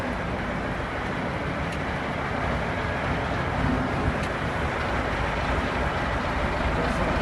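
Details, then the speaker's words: KAMAZ truck, first drive out of the garage after a major overhaul: steady deep diesel drone pulling away under load, even, no knocks or rattles; engine sounds healthy. "Первый выезд после капитального ремонта."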